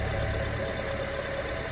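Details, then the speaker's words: 2011 Honda CR-V 2.4 idling after alternator replacement, with the drive belt reinstalled and charging voltage now good (was about 11 V): a smooth, even idle with a low hum and no knocks, squeals or misses. "Alright, so double check. It sounds good."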